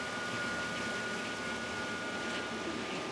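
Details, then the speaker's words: 2015 Chevy Silverado 1500 at idle, charging-system warning on, voltage stuck near 12 despite a new battery: a thin, steady high whine from the alternator sits over the idle hum and doesn't change; the alternator is failing. "I don't know how well you can hear it, but there's a distinct whine coming from the alternator."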